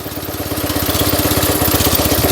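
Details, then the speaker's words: 1972 Invacar Model 70 three-wheeler single-cylinder, revs raised: even thump with faint metallic ring as centrifugal clutch shoes brush the drum at certain revs without engaging; harmless. "is transferred and uh certain revs they just ping just a bit make contact with the uh drum which makes the ringing noise but don't actually turn it so that's all that is"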